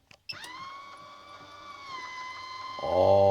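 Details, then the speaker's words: MaxAir roof exhaust fan lid motor test run after DIY repair, triggered by remote: smooth steady motor whine while the lid moves, then a louder, lower hum; lid opens and closes as it should. "that's a beautiful thing and that's what it's supposed to do all right and then in the opposite it should do the opposite"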